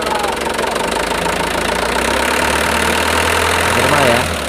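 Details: Mitsubishi Canter truck four-cylinder diesel idling with a steady, unhurried clatter and no misfire, after its six-hole injector nozzles were pressure-adjusted to standard; normal idle.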